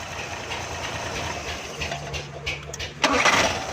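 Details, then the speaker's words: Suzuki FX 796cc petrol/gas car that wouldn't start because petrol and gas were mixing; with the gas main valve closed and running on petrol, a short crank and it catches cleanly at about three seconds, settling into an even run. "देखें दोस्तों, एक चीज़ पर हमने स्टार्ट किया है, गैस पीछे से हमने बंद कर दी है, तो ये दोनों चीज़ें मिक्स हो रही थी।"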